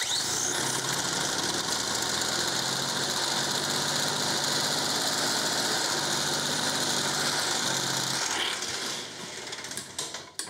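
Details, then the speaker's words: 1950s Ransomes Antelope Mk1 20-inch lawnmower, 98cc two-stroke, drill-started: catches and buzzes roughly about eight seconds then dies, won't idle, needs full throttle to run; very low compression, probably needs piston and rings. "okay that was quite scary doesn't want to idle let's try that again"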